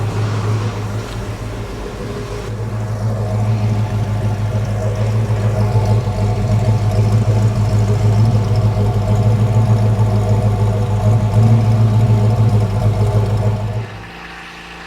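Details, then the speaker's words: Mercury Cougar after installing modified Mustang exhaust kit, with one tiny pinhole leak: deep even mellow exhaust rumble at idle, no knocks or rattles, then shuts off; sounds healthy. "sounds good it's got a nice little tone to it nice little Rumble to it"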